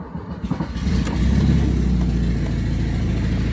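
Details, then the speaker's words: Lancia Zagato, manual, about 100,000 miles, starting and idling with loud uneven puffing from an exhaust leak at the manifold-to-downpipe joint; a couple of bolts are missing and a replacement gasket is on hand. "yep that's the exhaust leak coming from right up by the um that's exhausted coming from right up uh off of the manifold not the manifold to the head that would be the manifold to the down pipe"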